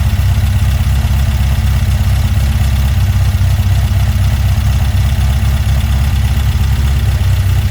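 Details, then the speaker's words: Weber 44 IDF carburetor on a Herthing, with idle jets just resized: steady, even low idle with no stumble. Hesitation shows only when the throttle opens, judged to be main jets too small, to be sized up. "all we gotta do is uh fix that uh hesitation when you hit the throttle that means that your uh your jets your main jets are a little too too uh small so we just got to go up with those Jets"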